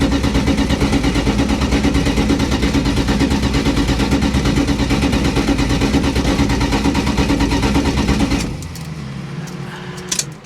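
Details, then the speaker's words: On a 63,000-mile original Dodge Dart Swinger 340 that has sat a long time, there is steady starter cranking about three beats a second for eight seconds before it catches. The mechanical fuel pump is presumed slow to refill the carburetor. "give it a minute it's got gas but it's probably been sitting for so long mechanical fuel pump I'm assuming it takes a while to get the get the gas from the tank back up to the uh to the carburetor again there it is"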